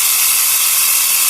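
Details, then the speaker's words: Portable 12 V piston tyre pump inflating a tyre near 2 bar, motor likely getting warm; fast, even rattling chatter with air hiss holding steady — normal running under load. "ใช้ได้ใชได้ไม่แย่ไม่แย่นะครับแต่มอเตอร์น่าจะอุ่นๆแล้วล่ะ"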